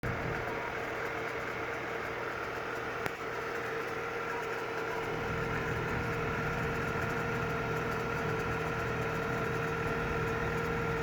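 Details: Audi A4 B8 2.0 TFSI cold fast idle: light quick tick about four per second, only when cold, stopping once idle drops to 1000 rpm; cause undetermined.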